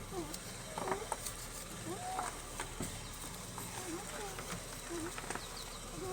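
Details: Lexus RX 300 with engine running, wheel turned back and forth: short high rubbery squeaks about once a second from the steering column spot; owner applies motor oil there as a fix, cause not confirmed.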